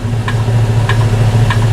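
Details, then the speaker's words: Air suspension after spring bag work, engine idling with all doors closed: the vehicle has risen to ride height and soft clicks about every half second are the compressor making small height adjustments. Normal operation. "Donc là, ça y est, maintenant il est monté à sa hauteur de travail, de route, pardon. Là, on entend le compresseur"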